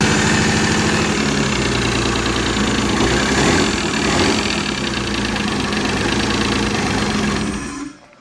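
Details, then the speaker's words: Nissan R33 GTR with NISMO parts and a built head at idle: lumpy, uneven idle with irregular stumble and faint knocking; sounds misfirey, and something seems to be hitting the front cover, cause unconfirmed; rough idle. "A little misfire, you know. >> Yeah, it kind of does. >> Does sound misfirey."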